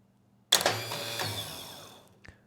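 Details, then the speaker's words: Starter motor from an early-80s liquid-cooled twin-cylinder Honda EX5500 generator, whose electric start failed, bench-tested off the engine with battery leads and the solenoid energized; sharp solenoid clack then bright whirring spin winding down evenly; normal starter spin. "And when we energize it, if everything's working properly, the motor should start to spin."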